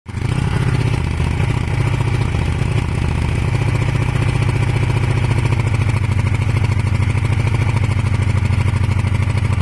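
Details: Kawasaki ER500 twin with white smoke: uneven, stumbling idle with skipped pulses, one cylinder misfiring; owner suspects a broken head gasket, unconfirmed.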